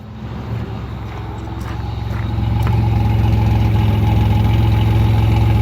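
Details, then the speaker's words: 1985 Pontiac Firebird, sat for a couple of years and recently got running, exhaust while warming slightly; deep, even burble rising a little, steady rhythm, no misses or ticks; healthy idle. "But yeah, it sounds real good. It's really nice when you're actually on the street and driving it, because it just sounds so good."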